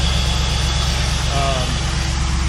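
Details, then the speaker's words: 2001 Camaro SS 6-speed manual V8 just after installing a Volant cold air intake, with the intake air temperature sensor relocated and the idle relearning: deep, steady idle with even low rumble, no misses or knocks; running smoothly. "It's gonna take a second because the thing's reading different. So it's gonna take that IAT, but you can hear it's doing it now. So it's running good."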